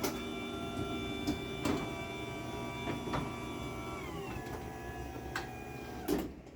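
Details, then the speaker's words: Chamberlain B970 DC garage door opener on a light mini door with no load: an even high whine throughout, dropping slightly in pitch near the end of travel; normal, just very whiny DC motor. "So yeah, it's really whiny, and I really am not a big fan of the way it sounds. I just don't like whiny DC motors."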